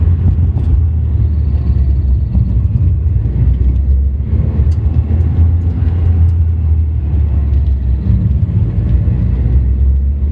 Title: Strange noise when revs drop below 2k